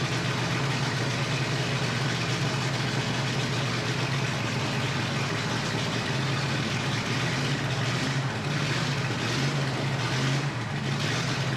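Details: Ford flathead 8BA V8 at first start after the fuel pump filled the carburetor bowl; the carburetor was not rebuilt. Steady, even low burble at idle with no knocks, misses or hunting. Normal idle.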